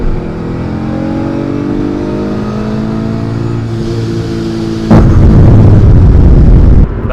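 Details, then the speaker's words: Supercharged V6 Mustang on E85 tune with increased boost, 3rd-gear pull toward 7,000 rpm: pulls cleanly with climbing pitch, then sudden loud rushing roar as charge pipe blows off; boost leak, coasting in neutral. "That did not sound good at all. Whatever the fuck just happened. I'm scared as shit right now. I'm just coasting right now in neutral. I blew something."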